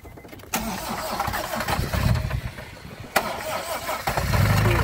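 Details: Honda D17 engine at 315,000 miles with new turbo and downpipe, restarted after stalling under boost: cranks, catches and runs rough with uneven knocking from a spun rod bearing.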